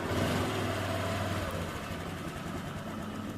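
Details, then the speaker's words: Honda Vario 125 engine after full rebuild and assembly, first start with idle adjusted, radiator cap off: small single settles into an even, steady putter with no knocks or rattles, now smooth unlike first start; normal idle. "suaranya sudah halus kembali beda dengan yang pertama kalinya teman-teman"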